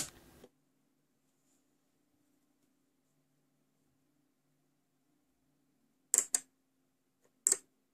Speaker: To test a relay module connect it to 5 Volts DC power supply and try to connect IN pin to GND or Vin. You should hear the clicking